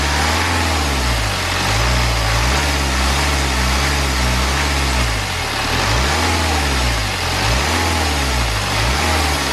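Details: BMW N47 diesel engine, first start after timing chain replacement and reinstallation; earlier no-start was a flat battery. Even idle with a few gentle rev rises and falls, no rattle or knock; normal idle, running clean.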